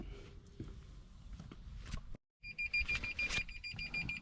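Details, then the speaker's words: 2016 Toyota Tundra Platinum after replacing driver-side front park sensor (part 0C011-48930) that failed in cold weather: quick high-pitched beeps whose tone changes as the object moves; new sensor detecting properly. "all right so as you can see that front sensor was the problem it's working now I have it pointed where it's triggering I if you can hear that it's uh changing the tone"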